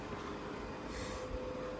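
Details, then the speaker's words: Dell PowerEdge R720 machine-learning server (NVIDIA P100 and P40 build) running and booting, recorded from a distance: soft steady airy hum with faint constant tone, not really noisy; normal fan noise. "now you can see the distance I am from the server currently um and that's with it just running and booting um it's it's not really really noisy but it obviously does Make some noise"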